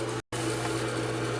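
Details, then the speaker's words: Gas boiler on a single-zone shotgun system at a ranch house after a no-heat call; steady, even low hum with a faint tone above it, no rattle or grind, while the return comes back warm. Circulator pump running normally. "can hear the sir can feel the circulators running"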